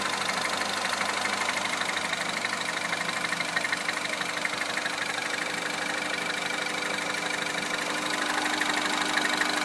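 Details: Citroën DS3 Racing engine idling with a fast, fairly even light ticking about three per second over a bright top end; source not identified.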